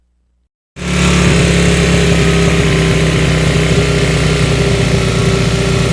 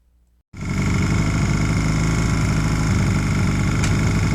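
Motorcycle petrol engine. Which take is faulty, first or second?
first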